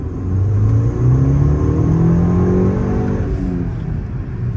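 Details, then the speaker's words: 2012 VW Golf GTI Mk6 with new Southbend stage 2 clutch and ECS stainless clutch line: engine note climbs smoothly as clutch takes up, no shudder and not much chatter; normal clutch engagement. "You already know, stage 2 south bend clutch in it, ready to roll. Sounds good, not a lot of chatter either."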